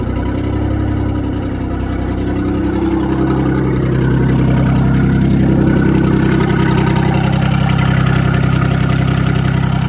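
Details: Loud, raspy diesel idle on a digger with sharp, even puffing about three per second, racier than stock.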